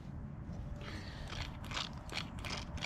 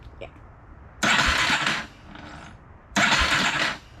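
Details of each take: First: Original starter motor removed from an 1987 Yamaha Warrior 350 ATV in no-start diagnosis, spun by hand: faint uneven ratcheting rasp with light internal clicks, otherwise quiet; some internal gear noise, cause unclear, before replacement starter fitted. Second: 1987 Yamaha Warrior 350 single cylinder after long storage, newly installed aftermarket starter, jump-charger assisted: two brisk, even cranking bursts with no grinding or clicking, spinning freely. Normal starter cranking.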